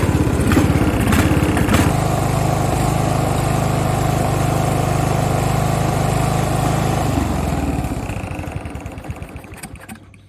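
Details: Craftsman riding lawn tractor (part 917.273760), free non-runner, single-cylinder: loud thump with uneven hit-and-miss rhythm that trails off and dies; pulley and exhaust found loose, adjustment screw makes no change; engine starving for fuel.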